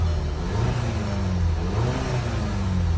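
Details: 2012 Volkswagen CC with the 2.0 TSI turbo petrol engine, after the PCV-valve repair and clearing 17 fault codes: it hums low and even with gently rising and falling pitch, the strange noise gone, and it has plenty of power.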